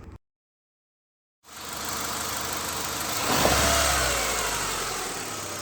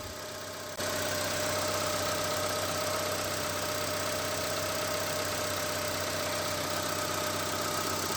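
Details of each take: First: Honda Stream petrol engine, quiet at idle. When revved, a rough metallic knocking ("ngelotok") rises with rpm, pointing to worn crankshaft bearings. Suspected bottom-end knock, not confirmed. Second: Honda Stream at idle, not yet revved: even, settled low rumble with no knock or tap. Normal idle; the rough knocking complaint appears only once rpm rises.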